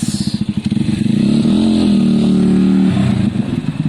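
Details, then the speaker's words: Zontes motorcycle after fixing a bad idle that cut out when stopping: after coming to a stop engine pops evenly at idle, swells briefly with a blip, then settles to a steady idle without dying; normal idle after stopping. "guys i'm so pleased so pleased it actually works really well it's quick and all that's brilliant"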